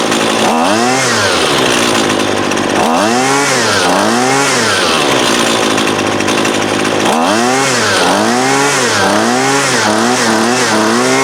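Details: Husqvarna 128LD 28cc two-stroke trimmer, warmed up, after low-side carb adjustment (previously wouldn't idle even with choke open): repeated clean rev bursts, split-second hesitation before each climb, back to steady idle; running great.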